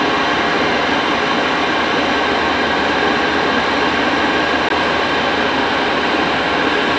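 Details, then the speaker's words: Cheap Chinese diesel night heater, which earlier failed from a defective fuel filter that was since replaced: a steady even rush of fan and burner at full capacity after a few minutes' build-up, with no surging, ticking or rattles. "so you can hear the entire build up and see when it's working at full capacity"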